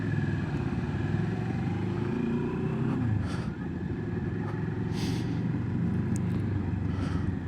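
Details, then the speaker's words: 2022 Moto Morini X-Cape 650, new bike in ride mode, idling at about 1400 rpm. Smooth, even low burble with steady idle, no knocks or misses, no judders or vibrations felt; normal healthy idle. "So it ticks over at sort of 1400 RPM."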